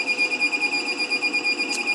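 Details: LaCie Biggest FW800 enclosure, bought as working: high steady beep pulsing about seven times a second with no drive spin after briefly showing a boot message and stopping; unit broken, cause not confirmed.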